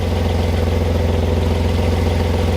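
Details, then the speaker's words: 1998 Audi A4 B5 2.4L V6, bought as a non-runner. Loud, steady idle with a regular low pulsing clatter that seems to come from underneath the car rather than the exhaust; source not yet pinned down. "that loudness doesn't come from the exhaust I mean there's something coming out from the exhaust some exhaust fumes but uh it's not many sounds like it's coming from under here somewhere"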